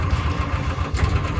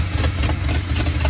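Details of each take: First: 1950 Ford F1 pickup sat for many years, start attempt: rough uneven chuffing and popping about two per second, spitting back through the exhaust; owner suspects a stuck valve, carburetor fuel or points. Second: 1950 Ford F1 pickup engine that sat for years, running after the points, cap and rotor were cleaned and fresh fuel was added. Low, chugging idle with a steady firing rhythm and no obvious misfire; possibly a slight backfire. Normal running.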